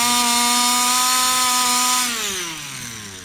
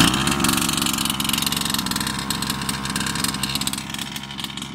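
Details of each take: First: Customer's Baja 5B RC two-stroke with a cleaned carburettor and no smoke: a high, buzzy note holds steady, then falls away unevenly as revs drop. Carburettor versus piston ring is in doubt. Poor running. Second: Customer's Baja 5B RC two-stroke engine after swapping in a different carb: high buzzy steady run, then snaps up and drops back cleanly, crisp with no bogging; the fault was the carb, not the piston ring.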